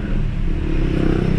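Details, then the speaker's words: 2011 Hyundai Tucson with check engine light, rough idle, vibration and fuel smell: held at full throttle the engine drones at a flat low pitch, stuck around 2500 rpm and down on power; the scan shows low power. "Scanning, ayan, low power. Babad na tayo sa gas, sagad na. So hirap siya sa 2.5."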